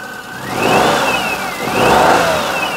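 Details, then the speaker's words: 2004 Perodua Kenari after timing belt and water pump work, power steering pump reconnected: high whine rising and falling with engine revs; normal power steering pump whine, fluid slightly low, earlier alternator belt whisper gone. "seems like the wine is just a power steering pump uh plenty of fluid"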